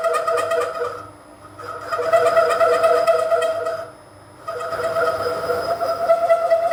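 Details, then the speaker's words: Boring bar extension with a 2-flute 12 mm end mill as cutter, opening a counterbore to 1 inch, speed slowed right down: ringing tonal chatter near 600 Hz and 1.2 kHz in bursts with each cut, easing between passes. Boring bar chatter. "I've just done a couple of exploratory cuts as I'm just trying to open this counter bore up to 1 inch. It chatters fairly well, and I've slowed the speed right down."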